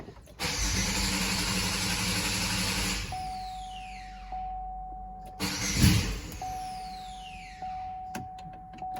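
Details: 2006 Buick Rendezvous 3.5L with an intermittent no-start. After the fuel pump relay is commanded on, the pump is heard priming, then a brief churning crank catches and runs with a steady faint tone, a normal start.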